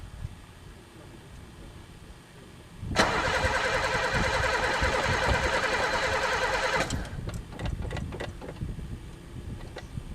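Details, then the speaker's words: Pontiac car unstarted for three years, throttle sticky, gas dumped in the carb: starter spins the engine about four seconds with even compression beats, never catches; cranks but won't start, owner suspects no spark or broken fuel lines. "Don't tell me this one's got no spark, too. It's even gas dumped in it."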